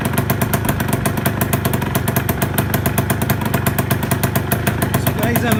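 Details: Shogun small single, first start after restoration with fresh fuel: crisp, regular exhaust pops around eight a second, steady without stumbling; idles cleanly and healthily.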